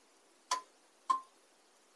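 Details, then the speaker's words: Solar power station (Anker 757) fed 18 V from a power supply as current is slowly raised, simulating weak solar input: sharp single clicks about half a second apart as the charge relay switches in and out deciding whether input suffices. "this is the relay that's trying to decide whether there's enough power coming in from the solar panel to start charging"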